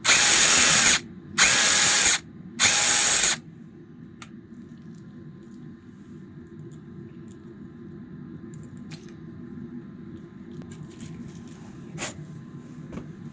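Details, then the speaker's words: DeWALT DCF922 impact wrench after the gearbox (reducer) was replaced during a repair that also involved the motor, board and light unit; three crisp one-second bursts of fast, even hammering with no grinding or slipping. Sounds healthy and different from before. "В общем, поменяли редуктор. И звук уже совершенно другой."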